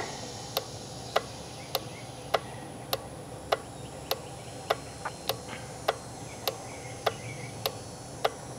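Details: 2011 Range Rover relay checked on a plug-in relay tester; crisp single clicks about once a second with no chatter or misses; the relay switches cleanly and tests good.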